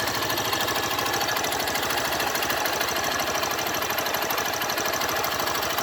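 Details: 2012 Honda Fan 150 fuel-injected single-cylinder motorcycle idling: fast, uneven ticking rattle over the exhaust beat; owner asks what causes the engine noise, source unidentified.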